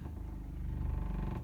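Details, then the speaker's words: 2020 SportTrek Touring 343VIK travel trailer fresh-water pump switched on at control panel: low fast-pulsing buzz, about twenty-five throbs a second, steady as it pressurizes the system; normal pump operation. "you turn that switch on and you can hear the water pump come on and pressurize the system."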